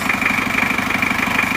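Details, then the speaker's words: Isuzu Panther 2.3 diesel after an engine rebuild for stuck liners and lost compression, with injection pump timing too advanced and being retarded: fast, even crackling tick and humming over the idle knock. Valve clearance set too loose. "tapi ini Kelihatan sekali kalau setelan klepnya masih terlalu longgar ya Jadi selain bunyi kresek-kresek seperti ini [Tepuk tangan] juga mendengung biasanya ini adalah pertanda terlalu lebar"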